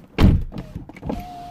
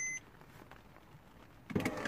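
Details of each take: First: 2008 Porsche Boxster S 987, driver window after replacing a bad regulator: door thud, then smooth steady motor hum as the glass drops slightly on close/unlock without grinding; normal power window operation. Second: 2008 Porsche Boxster S (987) driver's window: switch pressed, the motor whirs with a falling pitch plus clunks inside the door but the glass doesn't move; window regulator failure.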